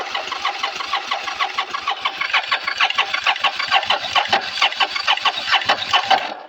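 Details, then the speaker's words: Motorcycle with two carbs and a newly installed fuel pump, choke off: the starter churns evenly with steady compression pulses about twice a second, but it never catches. Cranking no-start; the owner suspects not enough battery power. "It's weird that it just doesn't want to start now. Maybe it's cuz there's not enough power."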